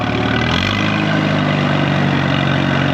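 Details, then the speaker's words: 1936 Allis Chalmers WC tractor barn find, driving after decades: an even engine drone with no gear whine or howl from the gearbox; the transmission runs quiet and healthy. "This thing's got a quiet transmission too. A lot of times they're pretty groany. Howl a lot."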